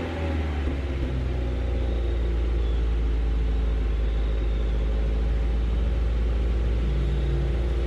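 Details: Honda Prelude 5th gen race car with swapped H22A, after ignition repair of a track misfire: deep, even rumble with no stumbles or skipped beats; misfire fixed, faulty valve cover gasket still to be addressed.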